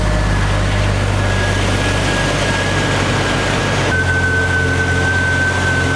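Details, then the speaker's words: 1992 Jeep Wrangler YJ 4.0L after engine rebuild and TDC/distributor reinstall, new radiator: steady, even idle, smooth low drone with faint constant whine, no knocks or misses. Normal idle. "but I think we'll start it up here again just so you can see how it fires right up. There you go. Sounds really good though."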